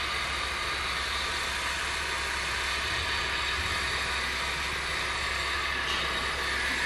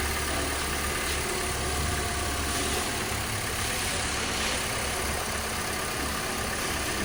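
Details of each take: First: Honda at idle: constant dry, gritty whirring hiss over the engine from the accessory belt area; worn water pump bearing and auto belt tensioner bearing. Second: Honda Civic at idle after replacing the water pump whose bearing was making noise, with fans running to settle the coolant: steady, even idle with a smooth low hum and faint hiss, no whir or bearing rumble left.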